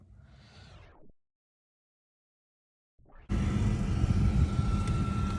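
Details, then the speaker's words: 2004 Jeep Grand Cherokee after replacing the slipping transfer case drive chain and refilling fluid: the engine starts and settles to a steady, even drone with no driveline clanking. Normal running, no transfer case clank. "All right, so far so good. But I backed it out of the garage. Car's running."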